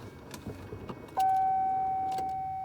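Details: 2004 STS with battery just reconnected, key turned to start: faint clicks and a steady electronic tone, but no starter whir or engine rotation; no-crank condition, cause not confirmed, jump start to be tried next.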